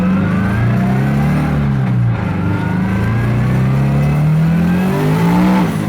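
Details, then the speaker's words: 400 WHP turbo Scion FR-S, map 2 at 14.5 psi boost, wide-open throttle: engine pulls then stumbles and sags, breaking up like fuel cut; misfire despite new coil packs and fairly new plugs. "map 2 is basically unusable or really I just don't want to touch it at all because under wide-open throttle it just breaks up and basically feels like it's fuel cut off'"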